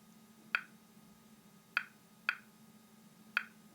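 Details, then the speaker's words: 1957 RM-2 geological prospecting radiometer at normal background radiation: sharp, loud single clicks at irregular intervals over a quiet hiss, normally 15 to 30 clicks per minute, loud enough to hear on a noisy street or from a pocket. "При обычном фоне частота импульсов составляет от 15 до 30 щелчков в минуту. Звук очень хороший, громкий, его отлично слышно, в том числе на шумной улице и даже когда прибор находится в кармане."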